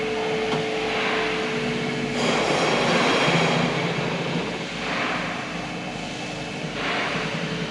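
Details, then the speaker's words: Hyundai Kona Electric drive motor (about 30,000 km) removed and hand-spun on wooden supports: each spin gives a gritty, crackling rush that fades as the rotor slows, from a rough, rusted rotor bearing behind the driving roar. "Et maintenant je l'ai fait tourner et vous pouvez entendre qu'il y a un craquement qui se fait entendre sur la voiture maintenant je vais essayer de le recréer"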